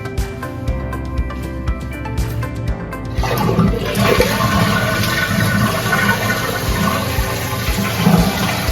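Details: Toilet after replacing the fill valve and flapper assembly to cure constant running: strong rushing flush settling into steady hiss of tank refilling, no trickle afterward; working normally.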